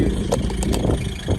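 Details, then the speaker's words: Daily-driven RX8 rotary engine at idle. Steady, low, even idle with a quick buzzy rotary pulse that sounds like it's trying to stall but never does; no knocks or misses; normal idle. "it sounds like it's trying to turn off but she'll sit there at idle forever and not turn off at all"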